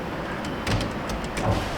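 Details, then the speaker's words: 2018 Chevrolet Silverado rear sliding window, blown fuse from a direct short, tested with switch circuit isolated: smooth even motor hum with a clunk at start and stop; window opens and closes, motor fine. "Hey, the window opens and closes."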